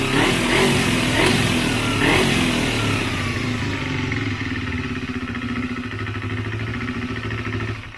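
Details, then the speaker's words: Motorcycle after a second carburetor cleaning and makeshift synchronization, idle raised: starts on touch and idles fairly evenly, but revs take several seconds to drop after a blip; owner suspects an air leak. "pali na dotyk chodzi w miarę równo natomiast słychać że jeszcze nie schodzi dobrze z obrotów i tutaj może to lewe Powietrze gdzieś powodować że on za słabo schodzi po prostu"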